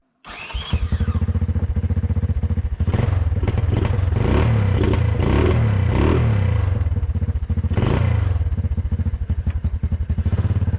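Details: Four-wheeler engine and drivetrain swapped into a 1991 EZGO golf cart, first drive: engine runs with uneven lumpy beat that sags and stumbles under load because the choke was left out unnoticed.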